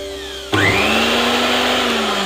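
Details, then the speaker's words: National blender after cleaning, as a temporary fix: switch clicks on and the motor spins up to a steady, high, even whir with no grinding or stalling; normal running. "ඉතින් ඔන්න වැඩ කරනවා. ඒ කියන්නේ මේ කොටස."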